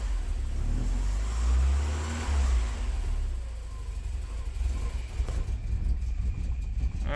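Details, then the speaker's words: Porsche 944 project car, sat over a year, just after vacuum lines replaced: low idle surges, hunts and stumbles, rich smell; owner suspects leftover fuel from previous start attempts; rough idle. "okay so as You observe with those clips I ran the car for a few minutes it seemed to iron itself out probably left over fuel that's why the rich smell cuz it wasn't running right or the previous start attempts"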